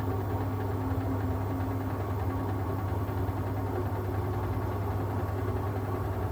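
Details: Siemens washing machine during spin: steady heavy low rumble with uneven throb and knocking from the drum assembly; owner suspects shock absorbers, bearings or drum spider, cause not confirmed.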